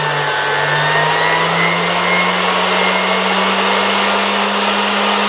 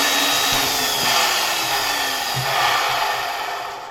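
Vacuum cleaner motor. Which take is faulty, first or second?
second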